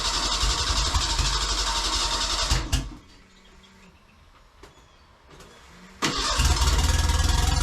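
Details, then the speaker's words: Merkur XR4Ti after engine swap, fuel injectors cleaned, fuel pressure tested: fast even cranking, a pause, then another crank catches into a steady idle; engine cranks and starts. "guess I'm going to try and crank it see if it fires off or what"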